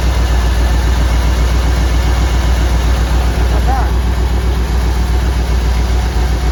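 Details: 1959 Ford wagon V8 at idle with an uneven, loping beat, a regular stumble about four times a second; number eight cylinder not firing, likely a bad spark plug or plug wire.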